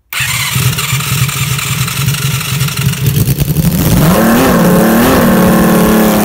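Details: Homemade 374cc six-cylinder engine built from two Yamaha FZR250R engines, remade needle-roller crankshaft, carbs synchronized, no radiator yet, first start: catches straight away, fast busy idle, then climbs to a steadier higher rev; healthy fresh engine running cold.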